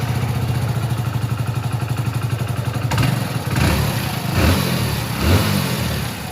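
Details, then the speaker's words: 2021 Hero Splendor Plus BS6 with tappet (valve clearance) tick noise, restarted after the tappet setting was adjusted and reassembled: steady, even single-cylinder idle with throttle blips, no sharp valve tick, and the noise is audibly changed. "आवाज में फर्क हो चुका है"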